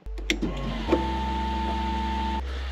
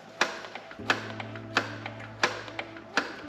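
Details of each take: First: BMW 328ci powered only by TOPDON JS1200 jump starter in boost mode, no battery: steady electric hum for about two seconds after key-on, then cuts off cleanly; normal fuel pump priming. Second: Yamaha FZ750, carbureted 20-valve inline four, first start in a long time via TOPDON JS1200 jump starter, chokes full on: several slow cranking clicks, then it catches and settles to a fast, even idle with light top-end valve ticking; valve noise.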